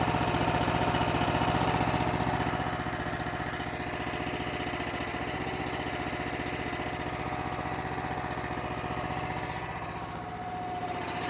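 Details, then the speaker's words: Honda engine on an Eastonmade 9-16 log splitter, after the carburetor pilot jet/idle screw fix for idle surging: a low, even single-cylinder putt-putt at about three pulses a second with the choke off, no hunting. Before, it needed choke to idle this low. "Before I couldn't let it get down even close to this low in the idle, and the choke is all the way off."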